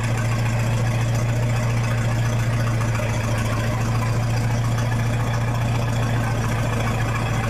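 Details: 1966 U302 after corrected rebuild issues, out under its own power: loud open exhaust drone at even idle with steady low pulse, no misses, no muffler; normal healthy idle.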